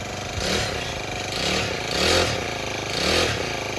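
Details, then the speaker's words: Honda FG110 mini tiller small engine, apparently a brand-new unit, just started. Single cylinder runs evenly with a gentle swell about once a second and no knocks or rattles; butter smooth, normal running. "That is just butter smooth. It's got that classic, you know, Honda small engine smell."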